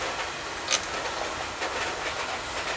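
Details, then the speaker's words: Oil-fired boiler full of black soot: rough, hissing burner roar with sharp spits and small surges. An oil flow problem, with air getting into the pump; a leak in the overhead copper line or its fittings is suspected. "but that thing sounds like [ __ ] guy that's an oil flow issue you hear it yeah you're struggling yeah it's either yeah when i bleed it it like spits yeah it's air and it's getting air in there somehow"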